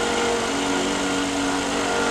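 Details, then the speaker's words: Honda engine, noise cold in the morning only, gone when hot, owner first suspected timing belt: steady rubbing drone with fixed whirring tone over running engine; stops with serpentine belt removed. "Okay, you hear that? It sounds like it's rubbing somewhere."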